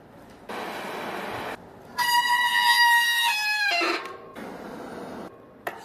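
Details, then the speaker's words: Bicycle hydraulic disc brake before service: loud steady high-pitched squeal for about two seconds as the brake bites; both pads found oil-contaminated, fixed by cleaning the brake and tightening the hydraulic line bolt. "Le vélo grince lorsque vous appuyez sur les freins. Retirer le frein du vélo. Huile sur la plaquette de frein."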